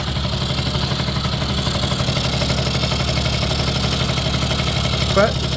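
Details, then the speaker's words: 1980 Suzuki FS50 (Snip) two-stroke scooter found by the roadside, first run after sitting, smokes a little from extra oil: fast, steady buzz holding an even idle with no stumbling; sounds good, carburetor could still use slight tuning. "I think it sounds pretty good of course it works"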